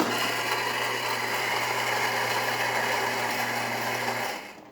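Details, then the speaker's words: Saeco Incanto espresso machine after replacing a grinder with a broken ceramic burr and recalibrating, grinding for an espresso shot: a steady, even whir for about four seconds that stops cleanly with no catching; normal grinder operation. "As you can hear, grinder is definitely grinding."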